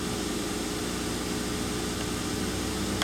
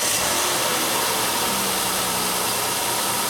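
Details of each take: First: 2003 Mercury Sable 3.0L DOHC V6, after repair of P0171/P0174 system-lean codes, warmed up in closed loop with fuel trims settling toward zero: steady, even idle hum with no hiss or stumble; normal idle. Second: 2003 Mercury Sable, 3.0L DOHC V6, lean codes P0171/P0174, at idle: constant hiss over a steady idle, no knocks; vacuum leak where the thin PCV vacuum line to the bottom of the intake has collapsed.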